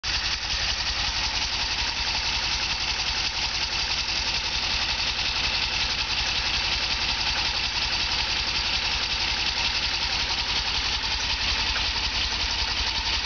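Idle has a lumpy, uneven thumping beat instead of a smooth hum, so the engine is running rough at idle.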